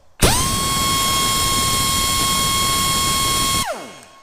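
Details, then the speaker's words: Heavy air impact wrench on a 1/2-inch air line, exhaust unobstructed, pressure dropping to 135 while running: sharp start into a strong, steady high whine for about three seconds, then clean spin-down; moving more air, full power. "And we went down to 135, and you could definitely hear the gun it was moving more shit through it, okay?"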